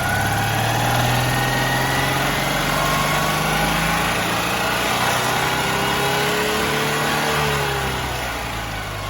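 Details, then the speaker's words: Citroen 2CV twin-cylinder engine after sealing inlet manifold with duct tape, tuned for good air-fuel ratio through normal rev range though idle must run very rich: revs up cleanly and settles, smooth and even, no misfire or stumble; normal revving. "i tuned it as best i can so that i get a good afr throughout like normal rev range"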